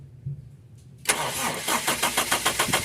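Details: Toyota Revo with 7K engine: brief crank, then it catches reluctantly into a rough, uneven idle pulsing about 3.5 beats a second; hard starting with a severe idle problem and AC idle-up not working.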